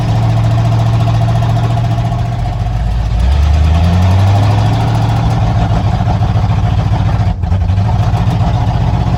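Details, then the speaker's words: 1987 Ford Bronco XLT, cammed 351W V8 with a Holley 4-barrel double pumper and headers into straight-piped true duals, first start after winter storage. Loud, uneven loping idle with throttle blips; misfiring, then seems to clear up. "on Eddie hey what is he this firing talk about misfires Eddie did not like hibernating for winter I could tell you that right now"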